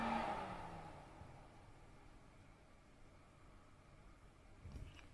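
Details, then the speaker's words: Home 100TB 10Gbit server after stock fans replaced with PWM-controlled Noctua fans, standard fan profile, first boot with case open, camera internal mic held near fans: soft, even airy hush with no whine, buzz or rattle; quiet, smooth fans. "and the only thing I did was just set the fans to D standard or normal profile and it's so quiet now this is first boot of course"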